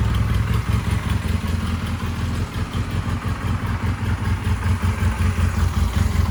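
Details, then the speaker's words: 1999 Honda Rebel 250, first run with old oil, fuel screw not yet adjusted, slight hang, some smoke: even steady low putter at idle with light mechanical patter, no knocks or misses; runs like a sewing machine. "Oh, we got ourselves a runner. I'm stoked. This is so awesome. It sounds like a sewing machine even with this garbage oil that's in it."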